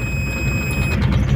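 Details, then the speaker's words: Mitsubishi 4D56T turbo diesel in a Chevrolet K5 Blazer, cold start with oil drained down: a thin, high buzz over the deep diesel rumble stops after about a second as oil pressure builds; low oil pressure warning buzzer. "Jadi ini nanti kalau kita kontak untuk oil pressure nya itu untuk oil pressurenya itu berbunyi soalnya oli pada turun di bawah jadi belum ada tekanan oli ini nah ini adalah bunyi dari oil pressure ini kita coba untuk hidupkan dulu ini masih dingin oli masih belum naik"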